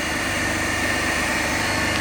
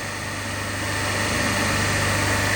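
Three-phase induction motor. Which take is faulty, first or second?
second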